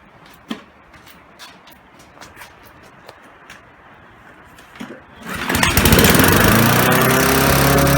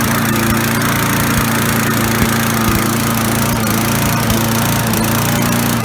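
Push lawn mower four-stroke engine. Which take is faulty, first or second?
second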